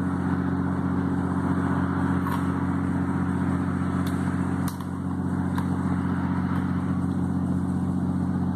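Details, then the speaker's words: Ventisol wall fan, running after a repair for not switching on: a steady low hum with a faint uneven rattle; play in the motor bearing. "isso fez com que o motor sul mas por que acontece isso porque está com folga no rolamento"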